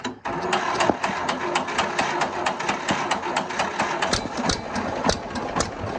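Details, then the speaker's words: 1950 John Deere B two-cylinder at idle after carburetor tinkering, with points checked good after water got in the magneto. The beat is slightly uneven with occasional skipped or soft pops, a mild misfire remaining. Gas keeps getting into the crankcase, cause unexplained. "so i don't think i'm gonna screw with the carburetor much at the moment because that's the best i've heard it it still sounds like it's got a weird mist to it and i'm just gonna take that as a win"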